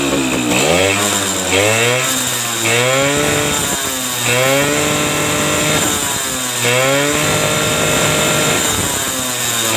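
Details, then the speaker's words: Suzuki RC 100 two-stroke motorcycle, previously hard to start with weak spark, started without the ignition switch connected: crisp revs rising and falling cleanly with no stumbling or misfire; starts and runs properly. "kita coba kita Nyalakan tanpa kunci kontak karena kontaknya belum tersambung"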